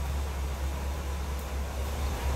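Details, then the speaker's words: 1975 Cadillac Eldorado Convertible with stock 500 cubic inch V8, heard from behind the car: steady, even low exhaust rumble with no smoke, misses or stumbles; very smooth, hardly heard running, normal idle. "a smoke or anything like that. Just running smooth."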